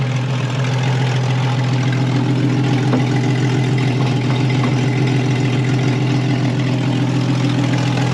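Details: Cheap auction Jeep with automatic transmission, idling; steady heavy, deep droning exhaust with no misses, very loud and boomy at the tailpipe; sounds like no muffler, suspected broken exhaust.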